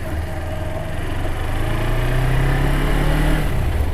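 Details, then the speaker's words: Low, smooth hum building gently as the 2013 Suzuki GW250 fuel-injected 250 twin pulls away in gear, with no clatter or misfire; very quiet and smooth, healthy. "it's very quiet very smooth bike"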